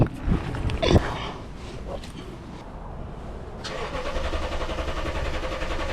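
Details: 2012 Toyota Tundra, key light flashing, fuel gauge full: after some clatter the starter cranks in a steady even drone that never catches; crank no-start, no fuel suspected, fuel pressure being checked.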